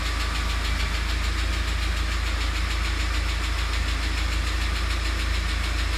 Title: УАЗ Патриот, стук гидрокомпенсаторов